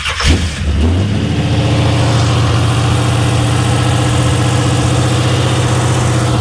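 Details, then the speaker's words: Monte Carlo SS G-body after a new carburetor install, idle screws backed out: starts into a fast, steady hum idling around 2000 rpm that never drops. Owner suspects air entering through a vacuum leak or through those holes; unconfirmed. "So yeah, it's idling at $2,000. So let me start it back up. It's getting its air through a vacuum leak or through those holes."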